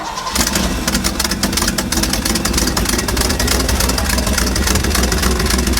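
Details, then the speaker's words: 1955 Chevy pickup with dump bed, sitting unused 23 years, restarted after fuel poured into the carburetor bowls; engine catches and settles into a steady, even run with crisp firing, no misses or knocks; carburetor and fuel pump working. "Oh, sounds good. Look at those car thing. Sounds awesome. Good. Huh? That carburetor just works fine. So is our fuel pump."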